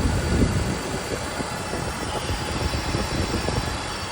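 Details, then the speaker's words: 2005 BMW E46 330i ZHP idling six-cylinder with a loose, uneven rattle from a noisy failing DISA intake valve needing replacement; quiet after the fix. "so just want to show you you can hear the dies valve is noisy that's going to have to be replaced"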